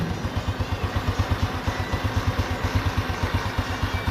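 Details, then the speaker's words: Honda Revo Absolute motorcycle after repair of a tek-tek/kletek noise blamed on a worn cam chain and piston; the oil pump was cleaned. It now idles with an even, steady low thump, no chain ticking or clatter, and is very smooth. "Nah, dia itu sudah sangat halus untuk ketengnya, untuk mesinnya, dan suara ketengnya sudah tidak ada. Dia sudah halus banget."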